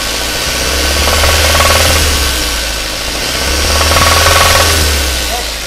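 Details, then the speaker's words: Daihatsu Xenia engine damaged by oil sludge: a heavy knock about four times a second over a rough cold idle; the bearing shells are suspected to have spun, leaving wide clearance between the connecting rod and crankshaft. "Jadi udah hancur gitu kan akhirnya apa stang sehernya sama as kruknya itu banyak celahnya jadi dia karena diputar ya kayak gitu lah"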